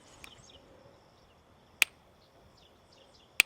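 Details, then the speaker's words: Newly set up Power Shepherd electric fence energizer checked with a tester: two sharp, crisp snaps about a second and a half apart over quiet outdoor background, the fence firing strong and hot. "She popping. That's pretty. That sounds very hot. I think that'll light somebody up if they get on it."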